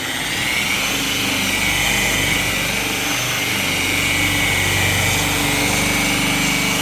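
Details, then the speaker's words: Harbor Freight tool with electronic speed control at switch-on: motor hum builds gradually and settles into a steady high whine without roughness. Normal soft-start ramp-up. "It actually is an electronic speed control, and once I hit the button, it'll actually ramp up slowly. It doesn't just come up to speed quickly."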